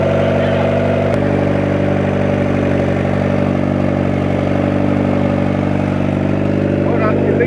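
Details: 1994 Honda Civic EX with freshly rebuilt engine, first start-up after almost 2 years off the road, started via jumper wire: even, steady four-cylinder idle with regular firing pulse, no ticking or knocking; normal idle. Coolant reservoir afterwards not holding pressure.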